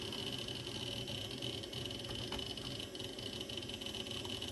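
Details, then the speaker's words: Osborne 486 DX2/66 PC booting: the old hard drive makes a loud, steady high whine with constant whirring and faint chatter. Noisy drive, cause unclear. "okay that was quicker than i expected listen to that hard drive wow"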